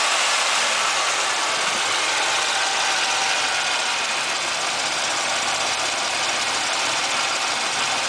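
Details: Chevrolet Monte Carlo LS, 3100 V6, cold start: fast light ticking at three to four taps a second over the idle. Top-end tapping, suspected piston slap or lifter tap; it stays when warm but quieter, and has done so for years.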